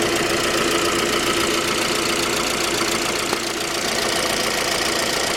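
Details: J20A engine, 2010, cold start: rapid regular metallic tapping over the idle, steady with engine speed. Knock began around 10,000 km and seemed to grow worse after oil changes; valve clearance, compression and oil pressure checked fine. Cause: scored crankshaft journal, cylinder 3; short block replaced.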